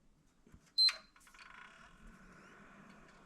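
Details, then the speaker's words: PlayStation 3 FAT with yellow light of death, after replacing NEC TOKIN capacitors with RIP FELIX boards (fan refitted, no thermal paste): one short beep then quiet steady fan hum, powers up normally, light stays green. "Bon, ça démarre. Ça démarre et ça fait pas de bruit. Bon, c'est top."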